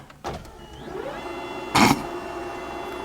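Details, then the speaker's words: AWD EM1 Civic Si race build aiming for 1000 hp, engine off: its loud race fuel pump priming with a short rising whine that settles into a steady buzzing hum, louder than most vehicles; normal priming. "Even the fuel pump is louder than most vehicles."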